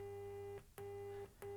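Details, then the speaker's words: Sony XPLOD car audio amplifier bought as faulty, test tone with one speaker disconnected: remaining speaker gives clear, stable beeping in even pulses, no buzz or dropout; this channel works normally. "You can hear that one working."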